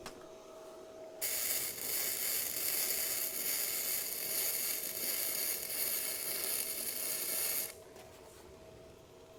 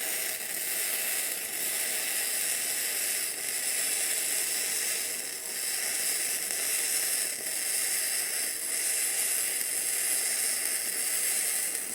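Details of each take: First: Bestarc gasless flux-core MIG welder turned down to 80 amps after 90 amps popped the circuit breaker. Steady, crisp sizzle for about six seconds: a clean arc, still a little hot, and the wire speed is not adjustable to feed more wire. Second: Bestarc entry-level gasless flux-core MIG welder set at 120 amps, laying a good weld but straining at that setting. Steady, crisp frying crackle for about twelve seconds, then an abrupt cutoff: a sound, stable arc.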